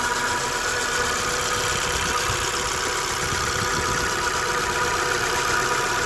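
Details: Dodge Dart engine idling: steady, high whine riding over an even, hissy running sound.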